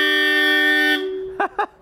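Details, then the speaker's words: Rally-spec 1973 Toyota Corolla TE27, old-school horns (called Bosch, also 1970s Mercedes-Benz horns) sounded before starting: one long, steady, brassy blast of about a second, strong and even with no warble. The horn works properly. "first of all i want to hear the horns because these horns will look crazy it's old school bosch horns"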